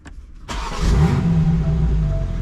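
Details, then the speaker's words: 2022 BMW M4 Competition (G82), Dorch flex-fuel ethanol kit install: fuel pump disconnected, engine cranked, catches and runs low and steady on remaining rail pressure until it starves of fuel and cuts off by itself, lowering rail pressure for removal. "like once I run out of fuel it's gonna cut off by itself there you go"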